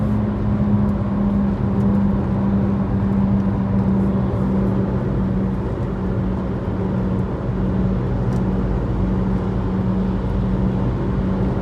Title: Mini f56 recurring humming noise , Any idea what this sound could be ?